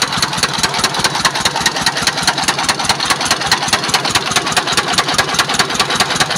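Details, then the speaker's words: S1125 single-cylinder diesel idling, not revved, after it ran out of oil and was refilled, restarted and worked: harsh rough idle with a hard, regular internal knock. "Jadi, setelah kita dengarkan, ternyata suaranya kasar. Kemudian ada suara notok-notok juga di dalam ya."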